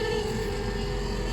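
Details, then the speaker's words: 1976 Ford F-250 390, old heater blower motor, possibly not the right one, running for defrost: steady, thin whine over the rumble with no pitch change; the tired motor sounds horrible, with probably no way to oil it. "That motor sounds horrible. Well, easy enough. I don't think there's any way of getting in there and spraying any kind of oil on that."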